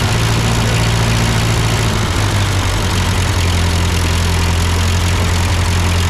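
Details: Ford 8N tractor at idle with no load, just after a carburetor adjustment. It had sputtered uphill, blamed on a cheap Chinese carb; an old Marvel-Schebler ran fine. Steady low putter with a slight pitch dip, no misfire: normal idle.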